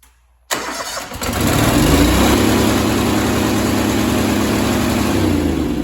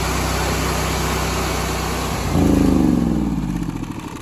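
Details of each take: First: Honda GX630 that smoked another camshaft, damaged after a heavy three-week work period: it fires and climbs to a high, steady scream above normal speed. It is over-revving and the governor is suspected not to be working. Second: Honda GX630 after a rebuild with a new governor, freshly filled with oil and fuel, running unloaded at about 3750–3800 rpm: engine speed surges up and down as the governor hunts, typical for a new governor.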